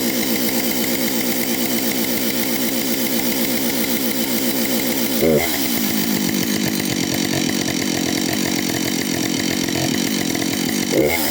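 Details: Husqvarna 565 chainsaw, first start after overhaul: crisp, even two-stroke buzz holds steady, dips briefly with the throttle and picks back up cleanly; running healthy.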